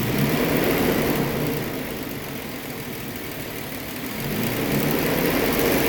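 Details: 1991 Toyota Hilux with swapped 4.0 Tacoma engine, lean misfire corrected: revs up, eases back and climbs again, pulling cleanly with an even beat and no misses; running normally.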